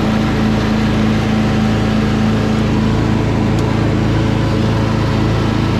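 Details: Craftsman DLT3000 lawn tractor with factory Honda 16.5 hp engine, after fixing no-start and purging water from fuel, on test run: smooth, steady drone at constant speed, no stumbles, knocks or hunting; runs clean and evenly.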